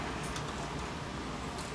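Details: JVC HR-J692 VCR, once totally dead, now repaired and working (capstan motor reportedly changed last year): steady, even whirring rush on full rewind with no grinding or squeal; tape transport sounds healthy.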